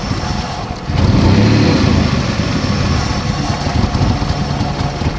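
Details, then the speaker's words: Chrysler Sebring with check engine light: low uneven idle that surges and sags; rough running even after both banks enter closed loop, upstream O2 sensors seem lazy, cause not confirmed. "they're staying at closed-loop now but it's running like crap anyways"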